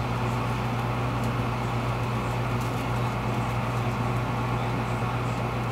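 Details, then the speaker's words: American Standard gas furnace inducer motor, 115 V, rated 1.35 A, amp probe reading about 1.0–1.1 A at start: steady, even low hum with airy whoosh, no knocks or rattles; inducer running normally. "We're going hot. There she goes. She's kicking. There she is."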